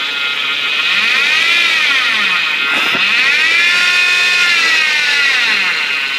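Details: Chevy Avalanche engine whine that starts at idle and rises with rpm during throttle blips, worse when turning the steering wheel and braking; the owner suspects the alternator, AC or power steering pump; accessory-drive whine, source unconfirmed.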